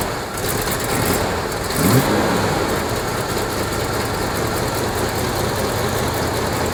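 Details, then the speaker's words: 1986 Chevrolet K30 cab-and-chassis truck running on a makeshift fuel tank with the air cleaner refitted: catches, blips once, then settles into a steady even idle, "100 times better", though it seems to idle up slightly. "Look at that. Yeah, 100 times better. Uh-oh. Oh, what? Sounds like it's idling up."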